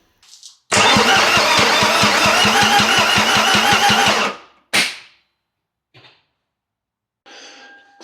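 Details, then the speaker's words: Toyota MR2 with an Audi TT 1.8T engine swap, being cranked before first start: the starter churns with regular compression pulses for about three seconds, then stops dead. The engine locked up; it was freed by hand, cause unknown. "So, I'm not actually too sure what's going on here. The engine just locked up on the start motor."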